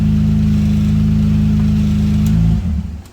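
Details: 2005 Acura MDX with failed muffler, essentially no exhaust, before budget putty-and-bandage repair; loud, raw, deep roar with coarse pulsing drone as the engine revs then drops off, like a racer car: exhaust leak.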